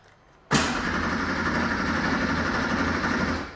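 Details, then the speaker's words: Classic 1980s Porsche sports car barn find, unused 16 years, new battery fitted: starter cranks steadily about three seconds without firing; no fuel pump heard, pump works when wired directly, suspected mouse-damaged wiring. "nothing it's turning over okay yeah I'm not hearing the fuel pump"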